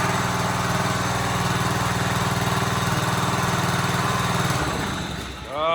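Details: Gravely 1434 zero-turn mower bought at auction, started on choke after charging the battery: uneven, stumbling beat that wavers, sags, then picks back up, struggling to run; later a new spark plug helped, fuel pump leaking oil.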